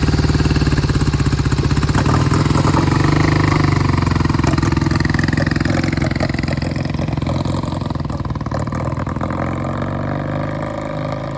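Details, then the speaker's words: 1971 Triumph T120 650cc twin, cold start after long storage: lumpy, uneven idle that fades and stumbles as the left cylinder cuts in and out, blamed on clogged pilot jets; owner says it clears once warm. "The left cylinder never came in consistently. I could hear it cutting in and out."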